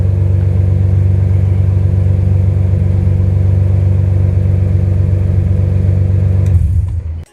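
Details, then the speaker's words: BMW with an M3 S54 engine swap at first start: deep, even inline-six drone holds steady speed, then shuts off, running smoothly with no misses or knocks; normal running, alternator charging. "There you go, guys. We got a running M3 S54 swap. Can't be happier."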